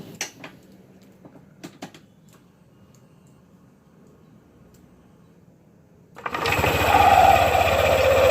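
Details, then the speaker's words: Yamaha New NMAX/Aerox 155 CVT after a repair for take-off judder: a few quiet clicks, then a clean, smooth run-up with no shudder. The belt now engages firmly where before it was loose; normal CVT behaviour. "sekarang ini Untuk panbelnya dia lebih fresh kita tekan aja seperti ini kita dengarkan nah Sampai bunyi seperti ini berarti nih kenceng ya"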